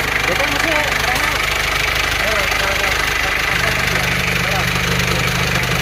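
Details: Isuzu Panther 2.3 diesel after test drive following rebuild (broken piston replaced with used one, new rings): even idle clatter about three beats a second over steady low drone; smooth, no smoke at oil filler, healthy.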